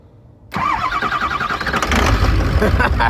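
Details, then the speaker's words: 6.0 Powerstroke diesel truck with two batteries: quiet, then the starter engages, cranks briefly and catches into a rough, rumbling diesel idle; a normal start. "That's how you start the 6.0."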